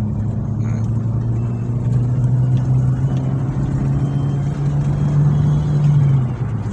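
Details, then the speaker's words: Suzuki Swift held at 4000 rpm after repair of a knocking traced to worn camshaft (noken as) play, shaft machined: smooth steady high drone, no tapping or knock; noise gone, normal revving. "ya oke fix suaranya hilang ya berarti aman untuk kendala tersebut berasal dari noken as klaim-klaiman noken as yang oblek"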